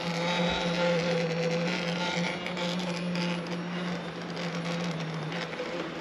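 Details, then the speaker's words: Sherman S electric unicycle before teardown: steady low buzzing hum with a faint higher whine and no knocking; owner unsure of the vibration noise's cause, with harmonic resonance or something loose suspected. "Okay, now I'm here with the Sherman S making that noise that it makes, that vibration noise. We're going to try and figure that out now."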